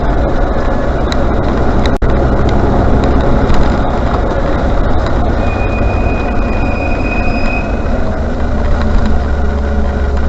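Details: Range Rover Classic: thin, high brake squeal rings for a couple of seconds over a heavy low vehicle rumble; brake squeal.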